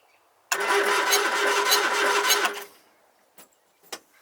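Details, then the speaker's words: Triumph Spitfire (abandoned), points ignition, no lights except one hazard: about two seconds of steady starter cranking that never catches or fires; cranks but won't start, no spark, points look dirty and are to be cleaned. "okay boy so she's got no spark on this particular model unlike mine this has points"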